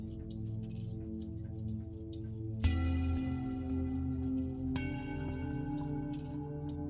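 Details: American time-and-strike clock movement after the internal lock lever was bent to lock on the warning pin: steady ticking, then a couple of clean bell strikes ringing out long; the strike releases and locks properly, fixed.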